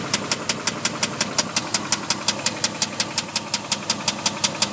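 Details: Dodge Durango 4.7 at idle: sharp, very even metallic knock nearly three per second standing above engine hum; rod knock on cylinder 2.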